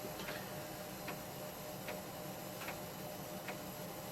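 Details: PC floppy drive writing an Atari ST 720k double-density disk image with Omniflop; sharp light clicks about every 0.8 s over faint hiss as the head steps track to track; normal.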